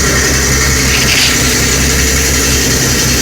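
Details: 1975 Kenworth LW924 idling diesel with a loud, steady hiss from the in-cab air tank, pulled up to find the big leak. The tank is rubbed through around a stud, likely from corrosion plus wear: an air brake system leak.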